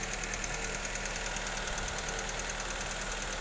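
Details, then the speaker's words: Honda Civic FB after replacing all four fuel injectors: quiet, even idle with a soft steady ticking pulse and no stumbles; the earlier stumbling is gone and the exhaust sounds normal. "ครับเสียงท่อก็ปกติดีนะครับหลังจากเปลี่ยนหัวฉีด"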